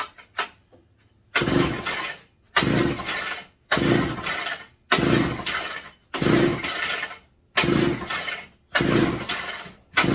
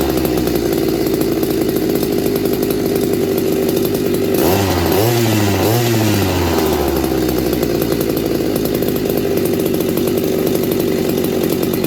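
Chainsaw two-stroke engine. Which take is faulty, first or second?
first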